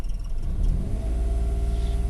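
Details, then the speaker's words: Daihatsu Ayla 1000cc at steady warm idle, normal again after its RPM had been rising on its own; 15W50 oil run about 5,000 km. Low, even rumble with no knocks, ticks or hunting. Normal smooth idle. "Nah, halus kan? Ini kalau di luar ya juga halus, cuma itu kiki itu yang agak mengganggu kalau di dalam."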